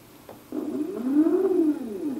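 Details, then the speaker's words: PolargraphSD stepper motor after tuning the Pololu driver's current down to about a quarter by ear: earlier crunchy sound now a clean, smoother hum rising and falling with speed. "hear that immediately that's much different it's a smoother sound"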